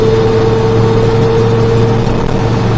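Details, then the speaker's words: Micro Van (SE1 E17) cruising after a lift install: a steady droning hum over road noise that fades with throttle; a binding U-joint with slight resistance at the steeper driveshaft angle is suspected, and new U-joints have been ordered. "that u-joint has like a little bit of resistance you feel it yeah so it has to be just binding up a little bit and it's making that vibration"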